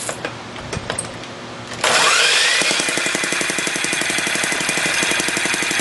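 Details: Home-built small six-cycle engine running. A sharp metallic knock repeats about four times a second; the builder suspects it fires too late and plans to advance the spark, or that the needle is at fault, not confirmed.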